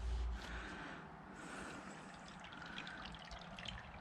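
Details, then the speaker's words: Yamaha WR400F front fork during teardown and cleaning: a wet, gurgling slosh rises and falls with each stroke as the fork is pumped, showing oil is still inside the leg; a slight seal weep is also seen. "you hear that noise there's oil in them there forks so get a few pumps so you can see it"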